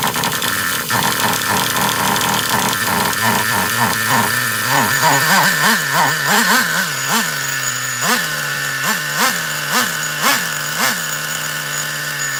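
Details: Traxxas Revo 3.3 nitro RC truck that had been running badly, apparently starved of fuel, with a badly bent exhaust: it buzzes at idle, then revs in quick clean bursts without sputter, more fuel flowing and more smoke, now running normally.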